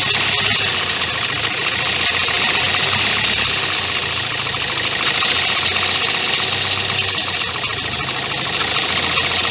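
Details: 2016 Kia Sportage 1.7 CRDI diesel, fully warmed up, idling with the phone near the open engine: light, fast metallic rattle over a steady clatter. Timing chain suspected; the noise worsened over time and persisted after accessory belt and pulley replacement.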